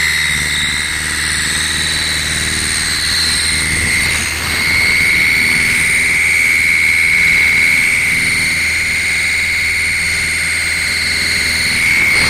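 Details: 2007 Ford Galaxy 1.8 TDCi diesel under acceleration: engine roar with a clear steady high whistle coming in partway and holding while the car pulls; whistle under acceleration.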